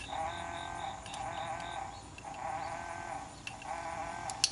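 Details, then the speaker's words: Mazda 3 with EVAP code P0441, leak detection pump harness back-probed and grounded manually: thin, steady high-pitched electric hum in even stretches with brief breaks, the pump running normally; vent valve suspected not closing. "press the ground you can actually hear the pump running"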